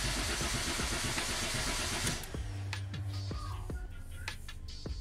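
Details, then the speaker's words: Citroën C3 HDi diesel that died while driving cranks steadily about two seconds but never fires, no rpm signal on the LM327 scanner; crankshaft position sensor (CKP) problem, the eventual fix. "bueno no levanta con ninguna de las dos combos con ninguno de los dos se cansó así que así que lo primero que voy a hacer es revisar el secap y ver cómo está el cableado y el secap"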